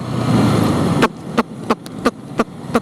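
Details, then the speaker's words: Yamaha R15 V3 motorcycle after one year of use, idling while stopped: sharp, evenly spaced ticks about three a second. Owner is unsure whether it is a fault but says it didn't used to do this; cause not found. "Kalau gue nyalain motor ini, kalau lagi berhenti sih kedengeran ya. Jadi kelihatan kedengeran suara kayak tek"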